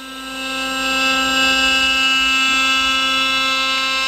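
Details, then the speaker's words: CNC router carving a pine piece about two-thirds through, holding up well. Steady high-pitched spindle whine with even cutting hiss, no chatter or knocking; carving normally. "good at the moment it's holding up we'll see how we get off but it's not looking too bad at the moment"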